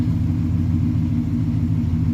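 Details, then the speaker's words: 1990 Chevrolet K1500 Silverado, 350 5.7L TBI V8, automatic, heard in cabin after repair: low even V8 idle rumble, no ticking or buzzing; floorboard vibration was a hard fuel line touching the floor pan, now solved, running excellent. "Anyway, it is solved. This truck is running excellent."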